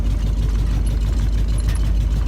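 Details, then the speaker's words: Ford Bronco driven after sitting ten years: deep engine rumble with loose rear clunks and rattles; tailgate lacks a passenger-side latch so tailgate and tire carrier move and bang together. "I'm sure you can hear the banging in the back back there that's just the tire carrier the the tailgate doesn't have a latch on the drift passenger side so the tire carrier is kind of what holds that tailgate on"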